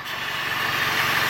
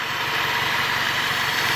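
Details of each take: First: Toyota Corolla idling with a system-too-lean P0171 code, carb/brake cleaner sprayed around the intake to find vacuum leaks: even steady idle with no rise or dip; no leak at this spot; owner suspects the PCV valve. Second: Toyota Corolla with lean code P0171, owner suspects PCV valve: carb cleaner sprayed around the aluminum intake manifold, idle stays smooth and even with no speed change or stumble, so no intake leak at this spot.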